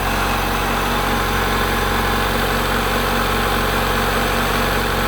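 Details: 1990 Honda Accord 2.2 4-cylinder at idle, after repairing bad alternator harness connector that prevented charging: smooth even idle hum with no stumble or dropouts while the harness is wiggled, charging about 14 V; normal idle.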